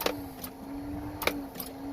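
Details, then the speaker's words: 1996 Toyota 4Runner with 3.4 V6, sat two years, on a recharged battery: sharp single clicks about once a second over a faint hum, with no cranking. Owner thinks the starter is seized a little. "what I think was going on is because it's only ticking I think my starter is seized up a little bit"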